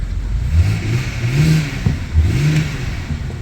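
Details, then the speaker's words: BMW E90 325i auto after ECU replacement, first start on jump pack: engine revs and settles cleanly through blips, no misfire or knock, little smoke; alternator charging; healthy. "very nice very nice there's not even misfiring man any smoke at the [Music] back"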